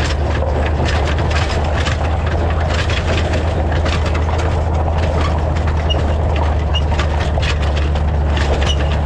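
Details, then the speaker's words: Truck towing a trailer on bumpy gravel road before fitting anti-rattle hitch clamp: constant clattering knocks over a heavy low rumble as the hitch shank slides back and forth in the receiver. "so when i'm traveling along the uh hitch here slides in and out of this bracket this sleeve makes all kinds of noise it slides forward and backwards and it's just a really noisy noisy ride"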